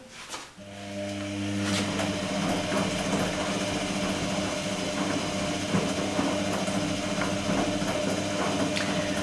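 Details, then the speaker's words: Electrolux-Rex RWP 1273 TFW washer, 60° energetic wash with long rotations: smooth steady motor hum with faint light tick accompanying drum rotation, said not to be failing tub bearings; normal drum rotation. "si sente anche in sottofondo una sorta di ticchettio che accompagna le rotazioni del cestello sentite si percepisce appena appena che cos'è questo rumore si stanno rompendo i cuscinetti della vasca assolutamente no"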